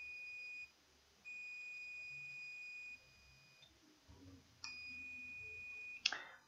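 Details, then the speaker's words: Sapphire Nitro Radeon RX570 8GB graphics card, still shorted after replacing bad capacitors: a steady high multimeter continuity tone holds as the probes touch one side of the fuse, showing the rail shorted to ground. "oh yeah see shots stay on one side of one side of the fuse we have a show today"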